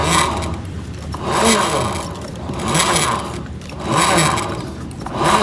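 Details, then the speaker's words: Honda BeAT FI scooter CVT with rumbling complaint: part spun by hand gives a rough rumble swelling and fading about once a second; worn bearings, to be replaced, all of them if one fails. "Nah, bisa dengar seperti ada suara gemuruh. Ini biasanya itu dikarenakan bearing bambu sama bearing yang ada di dalam ini udah aus ya."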